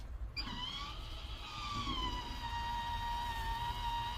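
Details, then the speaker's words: Sprinter van conversion, Maxxair Deluxe roof fan: a small motor hums with a steady high whine that settles as the lid lifts, opening freely and normally after power-up. "There we go, open freely. We got 1/2 inch of that crossbar, and it's cool."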